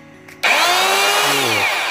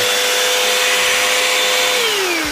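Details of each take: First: Jaco EZ Hoover Turbo JC333 vacuum cleaner (220–240V 50Hz, 350W): harsh, very loud whine and strong vibration at switch-on, with a burnt smell. A failed motor bearing is suspected; an identical unit was found with a damaged bearing. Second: Jaco EZ Hoover Turbo JC333 vacuum cleaner (220–240 V), final test after bearing replacement with all screws tightened: motor whine spins up and winds down several times, pitch smooth, no grinding or rattle. Normal running.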